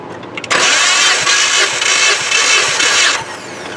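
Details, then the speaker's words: 2016 Jeep Patriot 2.0L with excessive blow-by, catch can fitted, compression test on cylinder 1: strong even cranking about three seconds, no stumble; reads about 187-190, unchanged from before; normal cranking with good compression. "Good. So that hasn't really changed much. It's about 190. 187 is accurate as these gauges are."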